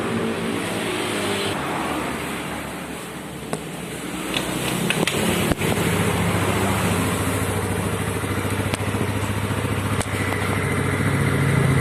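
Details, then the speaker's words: Yamaha Mio Sporty carbureted scooter, previously coughing, backfiring and hunting at idle, after carburetor work: steady even putter at idle, no longer rising and falling or coughing. "teman-teman Bisa dengarkan sendiri untuk stasionernya sudah tidak naik turun lagi sudah bisa langsam dan sudah tidak batuk-batuk lagi"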